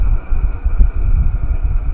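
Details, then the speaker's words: Diesel heater with a battery-backup mod, running on battery alone after AC power loss, turned down to setting 5.3 with battery at about 12.88–12.89 V. Low steady rumble with soft uneven puffing, no ticks or rattles; estimated 4–6 hours of heat: normal running. "and it will continuously put out this heat for probably another probably 4 or 5 hours"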